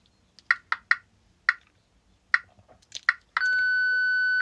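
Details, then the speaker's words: Book-reading device for the visually impaired, double-tap with longer second tap: a few short beeps then one steady tone about a second, signalling it is ready for a voice command. "So, I got a couple of um beeps beforehand. Um and then let go and then you can hear it ready for you to uh talk to it."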